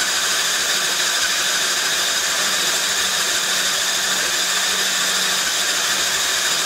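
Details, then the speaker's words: Yamaha Badger YFM80 ATV that sat for years, with an aftermarket carburetor that is flooding: a fast, high, even cranking whirr with no compression strokes and no firing; no compression, valve held open. "so she ain't hitting no nothing starter is kind of hot"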